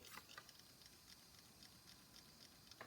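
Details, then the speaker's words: IBM OEM 810 MB hard drive: faint light clicks repeating several times a second over near silence, with no steady spin-up whine; drive dead, not working. "drive is not working don't know why it said okay 810 megabytes yeah that is definitely not okay"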